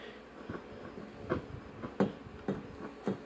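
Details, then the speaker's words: Early-1960s FoMoCo transistor car radio, volume maxed: irregular crackling pops over faint hum, no stations; audio amplifier works but no AM reception, suspected tuning block or AM preamp. "this crackles and you can hear it through the speaker so i think that the transistor you know the audio amplification circuit is okay but i think that it's having a problem either getting am channels whatsoever"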